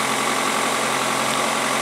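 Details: Steady, fast idle with an even hum and no dip or hunt on a 2003 Toyota Corolla 1.8L with code P0505; scope shows a clean square wave with power, ground and reference, so wiring and computer are good and the idle air control valve is bad, holding idle high.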